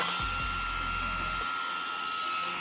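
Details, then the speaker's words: Rocket 35mm 21,000 rpm aluminium motor cooling fans on an X-Maxx RC car: steady high even whine with no wobble or scraping and a strong rush of air; fans running normally. "That sounds much better, and that's, yeah, that is a ton of air that's pushing through."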